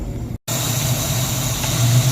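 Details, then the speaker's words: 1994 Ford Mustang GT convertible after PCV change, idling a few minutes: low uneven idle wandering 750–1000 rpm, lumpy and jerky with stutter on throttle blips; rough idle. "It is still very jerky and idling very weirdly, but it is spray bottle time."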